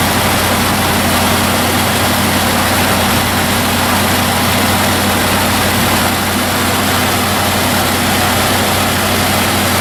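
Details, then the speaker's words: Chevy started right after a power steering pump and pulley installation; smooth, even idle with no squeal or whine from the pump or belt. Normal idle. "Okay, the pump's all installed. There's the gear. Okay, so now we'll start it up."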